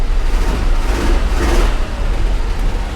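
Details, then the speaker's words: 1985 GMC C1500 Sierra Copart truck, after fuel tank and sending unit replacement with fresh gas: deep uneven rumble with no steady idle beat, still running rough; owner suspects spark plugs need changing. "the gas gauge moved a hair and it's still not running great I mean it's running but I was really hoping that it would clear up with some fresh gas and a fresh tank and a fresh sending unit"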